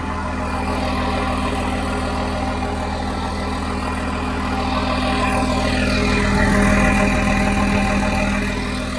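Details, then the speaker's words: John Deere JD6081H diesel, 10,739 hours, in a 300D articulated dump truck parted out for differential issues: steady, even idle clatter at about 200 beats a minute with no knocks or misses. Runs great, and it is thought to have an exhaust gas system. "Runs good, don't it? I think I saw, it must have that exhaust gas thing, but it runs great."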